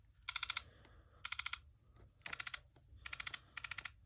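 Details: iPhone 11 with loud vibration: short bursts of sharp tinny clatter, about six rapid clicks each, from a loose, rattling vibration motor, before disassembly.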